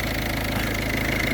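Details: Diesel car after a fuel filter change and bleeding of air from the fuel system, with a few bubbles still present, in cold weather: steady, even idle clatter with no stumbling or missed beats; runs smoothly.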